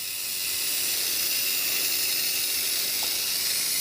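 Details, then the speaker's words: Marx Big Job toy dump truck steering (directional) motor, which had seized from sitting: steady high-pitched whirring with no catching or dragging, now spinning freely. "Listen to that. How much smoother that is now. This is the directional motor that turns the steering wheels."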